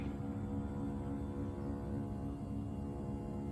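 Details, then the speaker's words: 2003 Toyota Highlander power seat motor, about 22 years old, moving the seat forward before greasing: steady low drone with a buzzy, slightly rough edge. Owner says it isn't struggling or weak but sounds funny and suspects the track gears need grease. "So what I got going on is it's not really struggling, but it's starting to sound funny."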